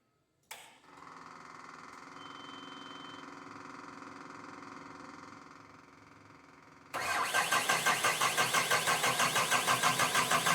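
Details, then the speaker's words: CAT 906M compact wheel loader diesel, about 12,000 hours, after replacing injectors suspected of dripping raw fuel into the DPF: quick crank catches cleanly into a smooth, even idle, then a louder steady beat with no knock or miss; healthy. "Oh, sounds pretty good."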